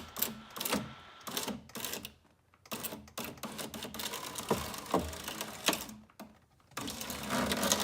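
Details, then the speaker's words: 2004 Saab 9-3 passenger power window, heard at the door: stop-start bursts of harsh crackling as the window motor runs, after something snapped inside. The regulator cable appears to be wrapped around its pulley near the motor; the regulator and motor are being replaced. "that cracking sound that is what's wrong with my window regulator something in there with the cable and pulley mechanism that runs it looks like something's probably tripped up or wrapped around where it's not supposed to be"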